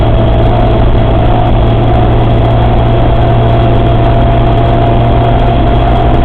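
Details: Suzuki Samurai transfer case: loud steady engine drone with constant low hum and faint whine; strange transfer case noise, cause not yet pinned down.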